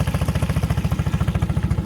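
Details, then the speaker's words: Honda outboard on a jon boat, freshly mounted: steady, even idle chugging about twelve pulses per second with no knocks or misses; motor running healthy. "now this thing's running love this motor it was so nice to hear this thing"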